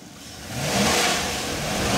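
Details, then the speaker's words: Chevy Express 3500 van, 6.0 LS engine with a bad automatic transmission, at full throttle: revs climb hard and stay high with no pull-away; transmission slipping. "oh it's slipping everywhere oh we can't go anywhere I am floored all the way oh there we go this thing is just totally slipping now"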